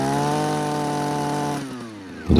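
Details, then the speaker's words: JCB petrol hedge trimmer after fuel pipes fixed, warming up: steady high two-stroke buzz holding evenly, ticking over by itself with little smoke, then winding down smoothly; running normally. "I'll let it warm up now um just give it a try to show you around it while it's ticking over it's running fine by itself sticking over nicely not much smoke"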